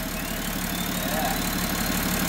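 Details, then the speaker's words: VW LT40 4x4 with BMW M57 3.0 twin-turbo diesel swap, first start: immediate start, then a smooth, even six-cylinder idle around 700 rpm under much hiss, no knocks or misses; normal idle. "sounded nice immediate start yeah and it's real smooth those six cylinders i think it's i mean it is also like 700 rpm"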